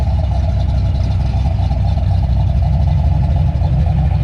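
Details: Freshly built, broken-in engine with Trick Flow cover, idle, TPS and timing adjusted, fans set at 185–190°F: deep, even idle, steady low rumble, no ticks, knocks or misses.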